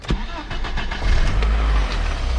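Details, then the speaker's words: BMW E30 with M54B30 engine swap, cold start after sitting two weeks: short crank, catches within a second, settles into an even idle with no smoke, soot or cold-start rattles; healthy start. "Fires right up. No smoke or soot. No cold start rattles."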